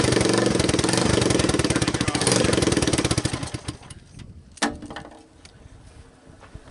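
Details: Vintage Honda TRX250 ATV, roughly 35–40 years old, electric start on a jump pack with starting fluid after splicing the wire harness and replacing the key and handlebar switches: engine fires and runs at an even ~4 pulses/second, then dies away. Normal start.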